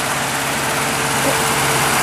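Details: Truck engine running on a homemade wood gasifier, with the air valve opened wide and a swirl plate fitted because it needs more airflow than expected; steady, even idle with an airy intake hiss, no misses or stumbles; normal idle on wood gas.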